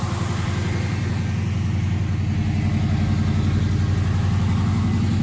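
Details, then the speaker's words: Chevy Nova V8 on newly installed Holley Sniper EFI, after fixing a leaking fuel line splice: steady even idle with regular low pulse but sitting faster than it should; idle running high, cause unknown. "Okay. So our idle's running a little high. So I'm not quite sure why."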